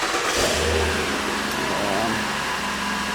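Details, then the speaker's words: Mazda 6 after a transmission swap, fluids filled, heat-cycled and test-driven: engine catches and settles into a steady, even idle with no ticking, knocking or rattles; runs normally. "Everything does run pretty good."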